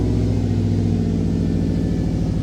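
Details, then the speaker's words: 2005 Subaru WRX wagon with STI VF48 turbo, ID1050 injectors, intercooler, Cobb intake, TGV deletes, high-flow downpipe, idling in warm-up state before closed loop: steady even low rumble, no misses, knocks or ticks; normal idle. "so it's currently in a warm-up State it's going to switch over here in a minute to like a the normal closed loop"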